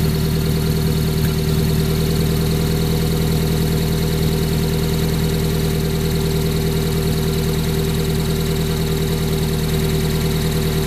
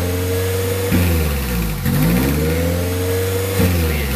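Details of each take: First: 1994 Honda Prelude with F20B petrol engine idling smoothly and evenly, steady low hum, no hunting or surging, after replacing the IAC valve to cure up-and-down idle; normal steady idle. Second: 1994 Honda Prelude with F20B petrol engine: idle keeps sagging and climbing between about 1000 and 2000 rpm instead of holding steady, idle hunting the owner shows.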